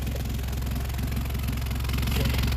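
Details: Honda CR-V 4WD, possibly a 2011, at idle: a rapid puffing tick on each firing pulse from an exhaust leak where the rotted intermediate-pipe-to-rear-muffler flange let go. A split aftermarket flange was fitted as the fix.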